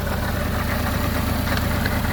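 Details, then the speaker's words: 1974 Honda Civic Mk1, on the old spark plugs before replacement: small petrol engine idling with an uneven, stumbling beat from a misfire, with a plug-lead pull test to follow; cause not yet confirmed. "because as you heard, it's been missing. I'll just quickly show it to you right now. It's been misfiring."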